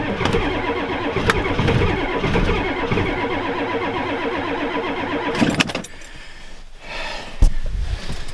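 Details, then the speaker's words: Ford F250 7.3 IDI diesel at 12°F, two batteries in, small shot of ether: brisk even cranking for about five seconds with no dragging; healthy cranking speed. "give her a little higher shot of ether she cranks over fast now"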